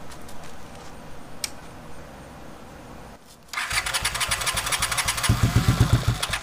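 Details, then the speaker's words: Honda CX500 scrambler twin with pod filters, 2-into-1 exhaust and Supertrapp: starter cranks, then an uneven puffing idle with irregular coughs, worse at and just off idle than under load; suspected unsynchronized carbs and out-of-spec valve clearances. "When you're riding it, once you get it under load, it's not so bad, but around idle, just off idle, it is very pronounced. And I have a feeling a lot of that is gonna be because the carbs are not synchronized, they're not at least vacuum synchronized."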